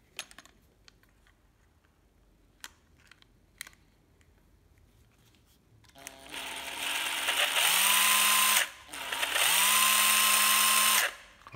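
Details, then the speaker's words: Makita 12V drill-driver, bare tool: two short runs with a steady high whine and a thin squeal on top; dry gearbox, needs cleaning and fresh grease. "thì hơi rít [Vỗ tay] rích đấy về vệ sinh tra thêm dò mỡ vào đây nha mọi người"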